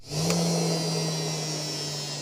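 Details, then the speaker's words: Front-load washing machine motor after rewinding both stator coils: steady even hum with clean high whine, no rattle or grinding; motor now runs smoothly and sounds different than before. "bây giờ hiệu suất của động cơ rất tốt và âm thanh của nó cũng đã thay đổi"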